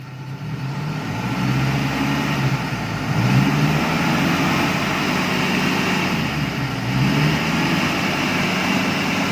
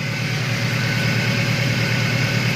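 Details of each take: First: Car engine idling smoothly with a steady low rumble after repair: the earlier droning hum was traced to a bent, dented oil sump clogging the oil strainer; with the sump refitted, the humming noise is gone. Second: Engine hum at idle on cranking and running: main and rod bearings seen inside; hum traced to a dirty oil pickup strainer, crushed by a dented sump after it struck a rock on the road; alternator and fan fine.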